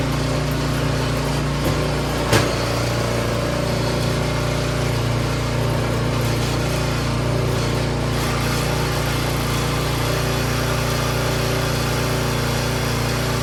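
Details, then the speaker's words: Troy-Bilt 24-inch snowblower single-cylinder engine after complete tune-up, timing checked, carburetor clean: smooth even putter at low and high idle, no misses or knocks; runs healthy. "sounds good Run's good and purs like a kitten good low idle good high idle"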